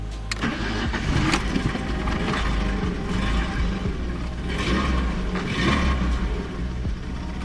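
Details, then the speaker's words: BMW E36 Touring, reported by previous owner as a non-starter, first start after fitting coil and spark plugs, run briefly with no coolant: catches quickly and settles into a smooth, very quiet, even idle with no knocks or misses; normal start and idle. "And it does run. And it runs okay. Runs very quiet."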